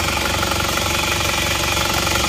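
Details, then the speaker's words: Isuzu Panther LS automatic diesel, warm with thermostat fitted, after blow-by repair with new liners: steady, even clatter with no knocks or misfires; no smoke when revved, nozzles still to be serviced. "ini sudah bersih gak asap ya lihat kita gas gas sudah bagus jadi sudah bagus yang asap ini mesin sudah panas karena mesin juga sudah kita lengkapi dengan thermostat"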